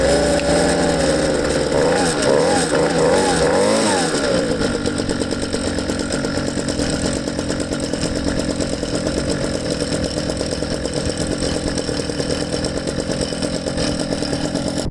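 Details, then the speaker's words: Ryobi 2-cycle engine after two to three minutes of warm-up: following a brief rev it settles into a low, uneven, lopey idle near stalling. The base idle speed is too low and needs turning up at its separate Phillips screw. "okay so the only thing I'm noticing I let it run for 2 minutes is the base idle speed I want to turn that up a little bit"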